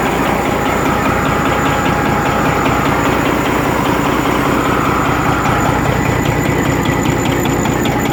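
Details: Rebuilt Detroit Series 60 diesel at steady idle with a sharp regular knock, about two and a half per second, over the clatter; one injector was adjusted at a lower rate.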